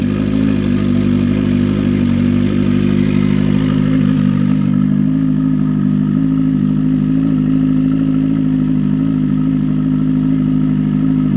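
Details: Drag race motorcycle after a race, in very hot weather: steady deep drone holding constant speed after the first few seconds, no rattles or misses; engine running normally.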